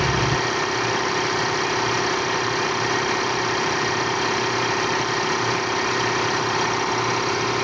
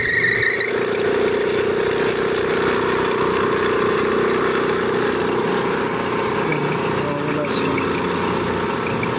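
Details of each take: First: Piston air compressor that was noisy, running after belt replacement (gasket replaced, oil changed, motor bearings checked fine): steady, even chugging with no squeal, slap or knock. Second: Air compressor on first start: loud steady droning whine with a brief high squeal that fades after a while; slipping worn drive belt, old belt not yet broken.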